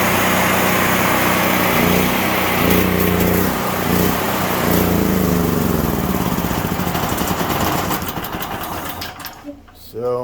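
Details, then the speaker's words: Generac RS8000E generator, 2.9 hours, after replacing broken fuel inlet nipple: engine hunts up and down in speed for several seconds then dies; surging from debris in carburetor or water in fuel, fixed by carburetor cleaning and fuel system flush. "Basically, the unit has to have either something floating around the carburetor, water in the fuel, something to that effect for this to happen."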